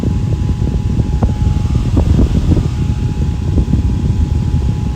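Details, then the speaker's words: Fan running after being disassembled and reassembled without oiling: smooth, even whoosh and low hum, no squeal or rattle; spin-down is free, though a slight squeak was heard earlier, possibly a dry oil-wick felt. "So it seems to be doing okay for now. I mean, if it really starts squealing, then yeah, I got to pull it apart and give it oil. But it seems to be okay"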